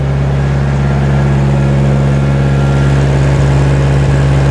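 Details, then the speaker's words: 1960 John Deere 1010 diesel after engine rebuild, running just after twisting injection pump to correct timing for smoking; big difference, steady even beat with firm low drone, no misses or knocks, running smoothly. "wow that made a big difference look at that that is what I wanted to see that is running"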